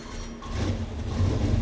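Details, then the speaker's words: Junkyard Cadillac 500 big block built with performance parts and an MSD distributor, on the dyno with headers, initial timing 31 degrees. First fire-up: deep, throaty rumble climbing slightly, smooth, even firing. Normal running. "good fire up i think just sounds like a big motor it's throaty with the initial timing set at 31 degrees"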